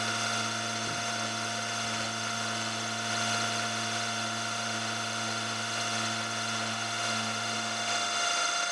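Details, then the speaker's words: Carbide end mill cutting at 1000 rpm: steady cutting tone with ringing high-pitched whine and sharp overtones; the end mill is chattering, made worse by climb milling. "you can hear a bit of vibration it"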